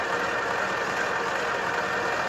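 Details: Ural diesel truck, warmed up after a cold start: steady even mid-high turbo hum with no wobble or added noise; normal turbo sound.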